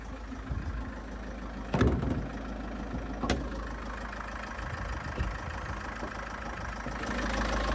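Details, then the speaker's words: Great Wall Hover H5, GW4D20 diesel, 160,000 km, with heavy crankcase blow-by and high oil use. Cold start after standing 2 days. Lumpy, shaky idle felt even at the gear lever, occasional thump. Rough idle. "Вот вы видите, да, его трясет."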